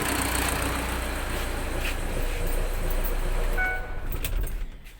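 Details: Diesel engine (owner had hard-starting, replaced fuel filter; testing wire tied to starter, 12V supply pulled) idles evenly with a low steady chug about three to four beats a second, then winds down and stops cleanly; normal diesel idle.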